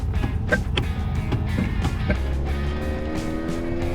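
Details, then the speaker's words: Snow chains freshly fitted on truck "Fred" while driving on road: rhythmic clattering slaps over engine and road rumble, music over it; big chains beating the running boards as wheels turn. "the joys of chains they're going to beat the running boards the entire way"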